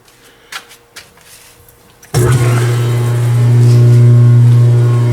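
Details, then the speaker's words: Log-splitter-converted forging press (25-ton County Line) hydraulic pump driven via phase converter: quiet clicks, then loud steady low drone; pump excessively noisy, owner considers slower motor. "you might want to turn down your sound [Music] because like I said this sucker is noisy"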